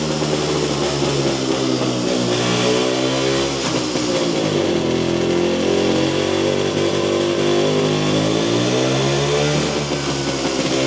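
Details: Jawa 250 two-stroke after rebuild for heavy smoking: revs up and down with ragged, uneven crackle and hesitant throttle pickup; owner agrees it seems out of carburetor tune; not confirmed.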